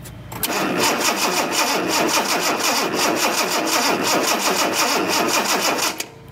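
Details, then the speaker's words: 1976 Datsun 280Z, fuel injected, after sitting: steady fast cranking at about three turns a second that never catches. A spark tester on cylinder three shows no spark there; sparks appear on some cylinders but not others despite a brand-new cap. "i can tell you what happened is there was sparks on some cylinders sparks on not"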